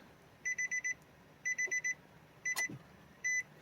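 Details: Nissan Versa with an existing rod knock, after cleaning and gapping high-mileage spark plugs: bursts of short, high, even beeps, mostly four at a time, then one longer tone as the ignition comes on and the dash lights up. Normal power-up warning chime.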